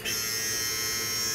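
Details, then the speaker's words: BMW R1200GS during an ABS brake bleed without a scan tool, key on, rear brake pedal lightly touched: steady high-pitched electric whir with a constant tone as the ABS pump runs normally. "key on and when I touch the rear brake pedal we should hear the ABS pump run"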